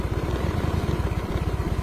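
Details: Yamaha Mio M3 scooter idling after its shorted starter relay, which cranked with the key off, was fixed just by tapping it; runs with the jumper removed, charging over 13 V so regulator fine; quick even putter, no misses; normal idle.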